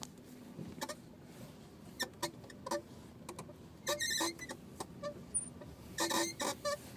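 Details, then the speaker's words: 2005 Honda Accord idling: irregular squeaky chirps and sharp ticks as the clutch pedal is released, occurring at every gear change. "i'm just releasing the paddle of the clutch and here is the sound comes"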